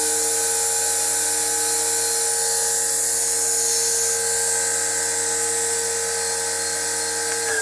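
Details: Motor driven by a VFD inverter, turning stones, ramped back up toward about 90: clean, steady high-pitched whine holding level, no rattle or scrape; normal healthy running at high speed.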